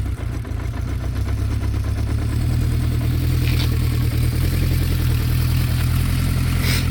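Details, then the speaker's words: 1972 Honda CB500K1 four, about 14,720 miles, recent head gasket and valve adjustment, original 4-into-4 exhaust: settles into a fairly even burble after starting, no knock or misfire; normal running. "Extremely clean bike. Runs great. Rides great. Needs nothing."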